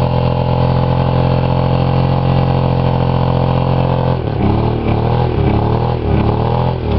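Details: Buick 3.8 3800 V6 blown in a crash-derby, running with one connecting rod removed, a hole in the block and little oil: steady drone turning lumpy and wavering as it labours; lasted about a minute with heavy oil smoke.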